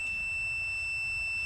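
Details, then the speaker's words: 3.6L Pentastar (Chrysler) misfire with no codes: multimeter continuity test moved to the cylinder 2 injector gives a clean, unbroken high beep, showing an intact coil. "So I'm going to transfer my connector over to cylinder 2 and run the same test. All right, it's already hooked up. Here we go."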